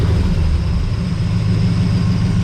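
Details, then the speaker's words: 1982 Chevrolet Camaro V8 on years-old gas, warmed up after smoking, homemade side pipes: deep, steady rumble at idle with an even beat, no misses, knocks or ticks; calm healthy warm idle. "yeah that sounds real calm and Casual think we might have a decent running machine"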